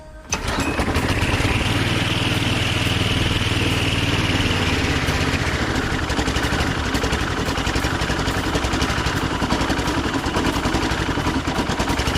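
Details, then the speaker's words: Husqvarna walk-behind string trimmer that sat for years, after carburetor cleaning: catches and runs loud but ragged, beat wandering and stumbling; dirty carburetor with possibly remaining debris, fuel filter and re-clean planned. "all right so we got her fired up but the carburetor still doesn't sound right so there might have been some more junk in there that we missed obviously"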